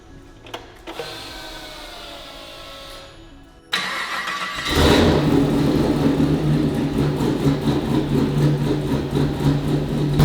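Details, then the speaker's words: LS3 V8 freshly installed in a Land Rover Defender, first start after the fuel pump primes: the starter whirs, then the engine catches into a lumpy, uneven idle, attributed to the unplugged O2 sensors. Rough idle. "listen to that the reason it's lumpy is because the o2s aren't plugged in guys"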